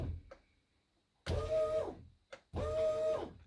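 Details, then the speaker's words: SeaFirst autopilot pump motor on a Mercury outboard setup, powered with 12 V directly (a 10 A supply failed), forward and reversed: two short, even electric whine bursts, starting and stopping cleanly; normal pump motor running. "so that's by the way how you can test the pump you can just provide 12vt in either direction yeah reversed or forward and"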